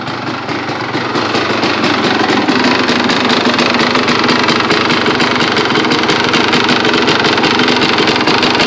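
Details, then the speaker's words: 2002 Honda CR250R two-stroke idling fast and crackly with a light tick on each beat; owner suspects a top-end tick, plans a top-end rebuild, says it always had it and runs fine. "let me know if you can hear that little ticking down in the engine I think it's got a tick but let me know what you think"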